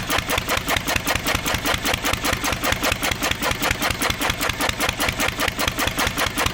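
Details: 1927 IHC M engine, restored 20 years ago and unrun for 19 years, running only on the starting bowl with starter fluid. The AC Delco fuel pump diaphragm failed, owner believes from old ethanol fuel, and needs replacing. Sharp, regular, even firing beats, about 2.5 per second.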